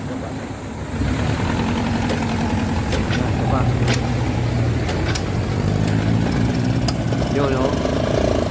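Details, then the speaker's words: Yamaha YTX125 motorcycle that starts but won't keep running: the engine putters unevenly, skipping and stumbling at low revs as if about to die; it misfires and stalls. "umaandar pero namamatay ano ay tumuloy yan umaandar guys yan opo namamatay siya yun oh parang palyado guys"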